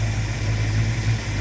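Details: Ford Mustang after new alternator: smooth, even idle around 900 rpm, battery getting 14.5–14.6 V, no knocks, squeals or whine; engine and charging system healthy.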